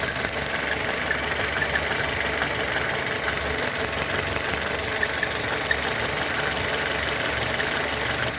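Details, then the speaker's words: Citroën C4 2.0 16v idling, code P1160, check engine light, irregular idle, sometimes stalls: constant airy hiss with faint metallic scraping whine, vacuum leak from ruptured diaphragm in valve cover on intake side. "Ele apresenta esse código de defeito: fuga de ar no coletor de admissão. E faz esse barulhinho aqui que vocês estão escutando,"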